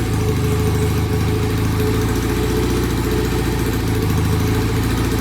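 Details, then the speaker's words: Vintage BSA motorcycle that the owner couldn't start, after kick-starting: a low, heavy idle that won't settle into a clean even beat and nearly dies. Rough idle; clogged pilot jets and off idle settings suspected, to be cleaned and adjusted. "doesn't sound good sounds uneven we go I'm gonna die yeah okay so it needs some adjusting we'll go through the uh the uh pilot jet cleaning and uh check the uh idle settings"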